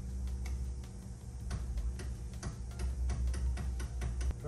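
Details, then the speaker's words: 1968 Baja Beetle after wiring fixes and starter replacement: irregular light ticks and clicks from starter side, no cranking; owner thinks not enough power reaching it, later suspects key cylinder. "i mean it's getting power it's just not getting enough power i don't think"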